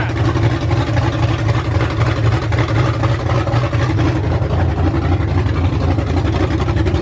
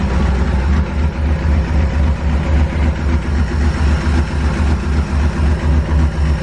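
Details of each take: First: Ford F100 V8 with new aluminum heads, first start on open headers without a cooling system: loud deep even rumble at steady fast idle, no ticking or knocking, everything sounded really good. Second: Ford F100 V8 with new aluminum heads, idling on open headers after coolant was added: even pulse with a light tick starting to appear; owner is pretty sure it is a valvetrain noise.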